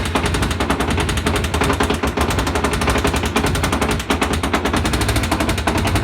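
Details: Kawasaki ZZR250 revving: a rapid, hard clattering knock that rises with throttle. The noise appeared at the end of the 2018 season and the bike had to be trucked home; a heavy internal engine knock whose cause is unconfirmed.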